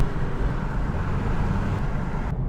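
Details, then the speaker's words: 2011 Subaru Outback test drive: steady low droning rumble from a rear wheel bearing; customer reported left rear, but it sounds like right rear; wheel felt tight and quiet when checked on lift. "almost sounds like the right rear. He said left rear."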